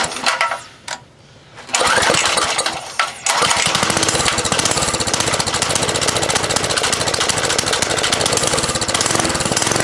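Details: 1970 Rupp Scrambler small single after its gas tank was cleaned: revs up then fast, uneven smacking about four per second; much more power and runs fine, but the cause of the smack is unknown; possibly a worn, sloppy clutch.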